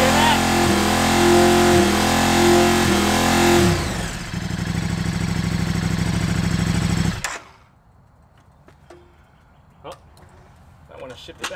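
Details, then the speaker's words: KTM RC8R with newly installed Annitori quickshifter, driveway test in sixth gear held near 5000 rpm, brief ignition cuts about once a second on simulated upshift blipping the exhaust, then drops to idle; quickshifter cutting spark as intended. "every time i tried to shift into the next gear um that just means that it's actually working so it's cutting spark to the spark plugs allowing you you know to quick shift"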